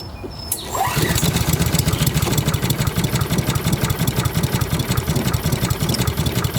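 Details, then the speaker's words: Older Honda Harmony mower (Kohler-clone engine), long unused, just started, choke open: slow lumpy thudding with no pickup, engine won't come up to speed; owner feels rpm is low, possibly water in fuel, unconfirmed. "she wants to come up it feels like the RPMs are not up so something might be not right with the RPMs"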